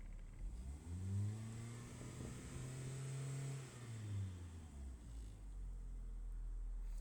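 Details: Car that fails to start when ground is wet, running on a dry day; owner was told plugs, wires, starter, coil or solenoid; engine catches, revs smoothly and drops to steady idle, no misses or knocks.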